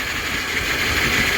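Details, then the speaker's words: Toyota engine after intake manifold off, starter replaced under intake, first start: steady idle with constant airy hiss over the engine note; mechanic suspects a leak between two parts, not confirmed. "sounds like there's a little bit of a uh a leak between the two"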